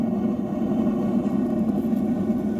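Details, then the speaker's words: Atwood RV water heater, direct spark propane burner, after air shutter adjustment; steady even propane roar without popping or sputtering, clean blue flame. "It is propane. You can hear how well it's burning now, too."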